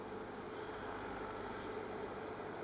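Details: Logik L20DHW12 dehumidifier after repair of a no-power fault, set to 40% humidity: steady, even hum with a faint constant tone and no knocks, rattles or cycling; compressor running normally.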